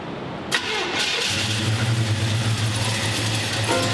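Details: 1955 Chevy Bel Air with newly built engine and EFI, at its first start after the build: the engine cranks briefly, catches and settles into an even, steady idle. A clean first fire-up.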